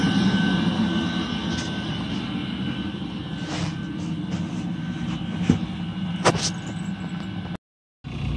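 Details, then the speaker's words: Eberspacher D5WZ diesel coolant heater from a 1.9 TDI Ford Galaxy, VW Sharan or Seat Alhambra, after repair: steady low combustion roar with faint even whine and audible fuel pump ticking, no knocks or surges, no visible smoke. "D5WZ operation after repair :) there must be no visible smoke during operation :)"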